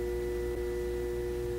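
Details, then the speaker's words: ADA Digitizer 4 programmable digital delay, bought at auction from a store closed 12 years, gives a loud, steady transformer buzz with clear mid-pitched tones that stops when switched off; owner may open it to dampen the hum. "the only thing i'm not liking about it at the moment is the transformer hum can i hope the camera can pick that up hear that that buzz"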